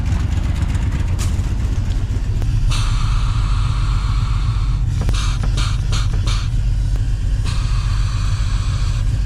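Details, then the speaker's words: 1982 Ford F150, engine running, brakes bled: bright airy hiss continuing while brake pedal is pressed and held over deep engine rumble; owner suspects leaking vacuum brake booster, later replaced. "hear that hissing when I push it in. I can hold it in. It continually hisses. I think it's my vacuum booster."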